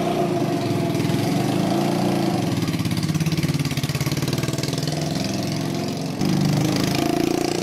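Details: 150cc Yerf Dog shifter kart on its first test drive, gearing too tall: revving unevenly with a rough, popping, pulsing beat and hesitation as the throttle changes; running super lean, backfiring a lot and low on power.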